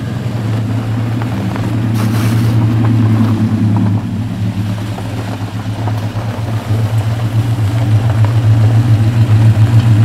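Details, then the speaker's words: LS V8 truck after installing Yella Terra roller rockers, LS7 roller lifters and LS9 multilayer head gaskets: smooth even idle with a light blip, no ticking or knocking from the top end; possible slight passenger-side exhaust leak. "how do you feel about that run good didn't hear anything out of the ordinary I think there's a slight exhaust leak on the passenger side"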